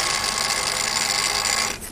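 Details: Refurbished Daiwa DR-7500 rotator on a DC-7011 controller, coming round to park on its north mark: steady, even gear-motor whirring, no grinding or catching, winding down as it parks; running smoothly.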